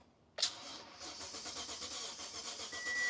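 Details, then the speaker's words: Abandoned 2014 Toyota Tundra after ignition cylinder replacement, on jump pack with old battery, security light flashing: starter spins engine at an even rhythm but it never catches; key needs programming for immobilizer. "we're gonna have to program the key, but she's turning over. That's good. She sounds okay."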